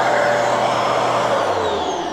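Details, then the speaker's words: Genesis upright vacuum running with inlet blocked: steady motor roar with thin high whistle as the rear safety relief valve draws in air to protect the motor; normal valve action. "so that's basically the valve activating because I've blocked this here and the valve is just sucking in the air to make sure that the machine doesn't obviously um Bend"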